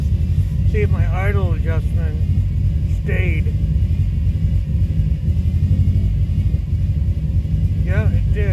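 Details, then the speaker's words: 2005 Subaru Forester XT after an idle adjustment; codes show a blow-by function problem and a P21xx code, owner concerned about blow-by, earlier a coil miss and suspected rich running. Low, lumpy idle with uneven pulses and unsettled rumble; rough idle, cause unclear. "see she just runs like [ __ ] now that blow eyes got me concerned"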